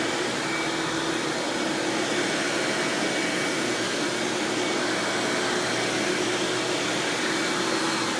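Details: 1997 Hoover Dirt Finder Power Drive U6331-930 self-propelled upright vacuum running in floor mode: steady, even motor roar with constant airflow hiss, no rattle, squeal or surging; exceptionally smooth and surprisingly quiet, normal running.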